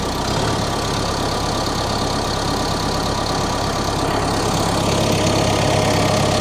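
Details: CAT 420F backhoe diesel just after a service, fluids checked: steady even diesel clatter at settled idle with low hum, no belt squeal or knock; engine runs healthy, hydraulic level noted low.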